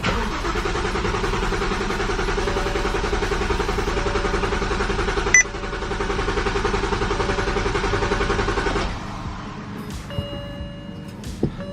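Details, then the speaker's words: 2007 BMW 335i after aftermarket oil cooler install and oil fill, coils unplugged to prime oil: starter cranks engine rhythmically for several seconds without firing, as intended. "Okay, she's full of oil. Now it's time to prime it."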